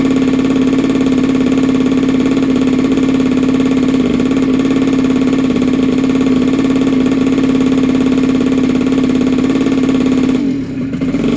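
Steady buzzing two-stroke note holding a constant pitch for ten seconds, then cutting off; engine runs evenly.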